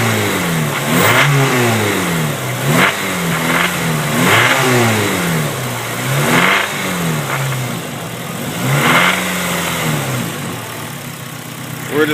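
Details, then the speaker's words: Honda Civic EP3 petrol engine blipped repeatedly: brief metallic rattle only around 2500 rpm, then goes away; owner suspects rocker assembly, not confirmed. "it just makes the noise real quick and goes away"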